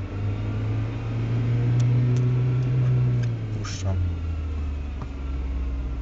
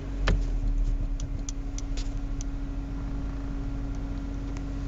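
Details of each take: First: Audi 80 B4 2.0 90 hp, damaged CGT gearbox: no noise in first, but in second gear a low droning hum holds under acceleration and drops as throttle eases; gearbox whine, also humming and knocking in 3rd–5th, cause unknown. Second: Audi 80 B4 2.0 (90 hp), CGT short-ratio gearbox, idling: faint steady hum with no whine or grinding; first and reverse are quiet, while 2nd–5th hum and rattle, so the owner rules out the differential. Normal gearbox noise.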